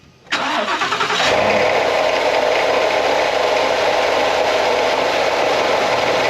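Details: 2016 Ford F-150 5.0L Coyote V8, 88,911 miles, overheating and dripping coolant thrown around the engine bay. It cranks and catches, then a loud, rough, steady growl at idle from the failing water pump: water pump growl.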